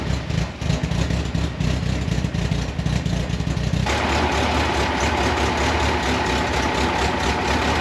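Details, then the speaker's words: 1982 Fiat 124 Spider with a twice-rebuilt engine and new exhaust, first start after timing tweaks: engine catches and settles into a fairly even, steady idle with a firm exhaust beat, no knocks or misses; normal idle. "we are running amazing look at that right out of the box"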